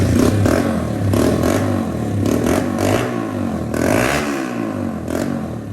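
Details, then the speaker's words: 1982 Honda XR80 with XR100 engine, after repair of a leaking tank, sealer damage and a lack of power, air boot refitted missing one clamp; revs up and falls back cleanly while riding, crisp pickup, no misfires, runs like a top. "runs like a top now love this thing"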